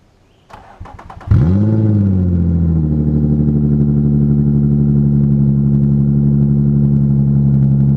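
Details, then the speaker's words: Daily-driven car started and idling, exhaust not bolted to the Y-pipe: loud, raw, rasping unmuffled idle from exhaust leaks at the flex joints. "So it sounds like shit right now, like really badly, because there's exhaust leaks from the flex joints, and I just need to get all that figured out."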